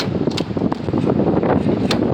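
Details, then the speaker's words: Ford Crown Victoria fueling: rushing fuel broken by sharp clicks as the pump nozzle keeps shutting off early; filler neck and tubing issues make fuel rush back up, tricking the pump into sensing a full tank. "just keeps stopping now what causes this is actually the filler neck it's issues listen it's issues with the filler neck what happens is that the fuel starts rushing back up and it tricks this pump into thinking that the tank is full"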